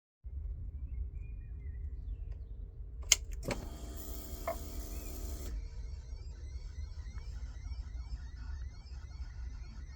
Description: Honda VFR 1200 making a strange noise when starting the bike. Could it be the fuel pump?